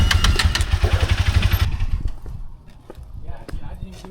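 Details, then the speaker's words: Honda CBR300 motorcycle that began sputtering after a 90 mph highway run, ridden slowly in the driveway: uneven low thumping about four beats a second, then it cuts out abruptly and goes quiet; engine stalls again at low speed. "You just died again? Yeah, that just died on me right there."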